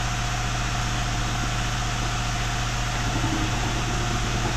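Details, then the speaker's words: Hyundai i20 diesel, after connecting-rod bearing replacement, held near 2000 rpm to clean injectors then idling, air filter removed: steady even clatter with loud intake hiss, firing smooth; normal idle. "डलिंग में जो है तो रुक गई है हमारी गाड़ी देख सकते हो फायरिंग है एकदम स्मूथ हो गई है"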